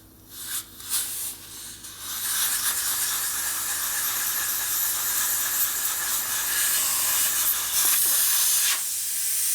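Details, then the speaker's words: Harley panhead wheel inner tube leaking through its valve, with only the valve stem cap holding the air in: sharp, continuous hiss that swells as the tube is pumped; faulty valve, tube scrapped. "I unscrew the valve stem cover. There's tube leaks. That's not how it's supposed to work."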